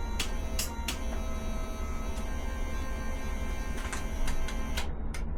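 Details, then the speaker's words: Ducati 750SS sat for years, first power-up during restoration: steady low hum with constant droning buzz and a few clicks from the electric fuel pump running continuously, engine not running; unusually loud, cause unknown. "For some reason, the fuel pump is very,"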